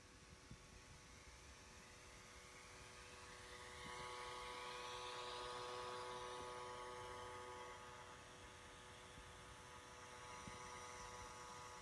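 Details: Surface Pro 3 i5 256GB, replacement unit, issue persists after Windows updates: the cooling fan gives a loud steady tonal buzz with several pitched lines instead of the normal smooth whoosh; fan buzzing.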